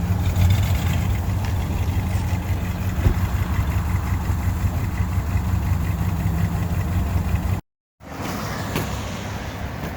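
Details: 1998 GMC Sierra brought back to running: low, steady idle rumble with even beat, no knocks or misses; engine idling smoothly and healthily.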